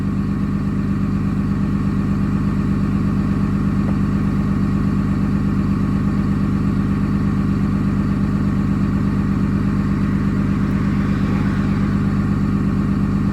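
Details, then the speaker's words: Early 2007 Ram 3500 5.9 Cummins diesel, G56, 326,000 miles, cold at 31°F, on automatic factory high idle during warm-up, EGT around 650°F; steady, even clatter at raised idle, no misses or knocks, healthy. "650 degrees right there. And we're still just at the automatic factory high idle and 31 degrees."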